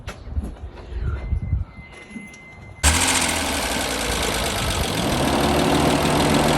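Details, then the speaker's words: Mitsubishi 3000GT V6 starts after a quiet moment and idles with a rapid, heavy, uneven knock; really bad rod knock plus blown piston rings, engine nearly done though still driving, so it is being swapped. "As you can see, it has really bad rod knock. And the engine is pretty much done. We don't even know how it's still driving."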